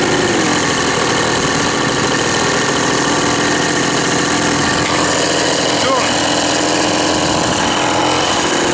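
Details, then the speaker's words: Old Ryobi RSV 3100e two-stroke leaf blower, both carb mixture screws seated then backed out two turns: steady high buzz at one speed, never clearing or picking up; off-tune, likely too much fuel, blows almost nothing. "tourne pas ce qu'on a soufflé là on a rien"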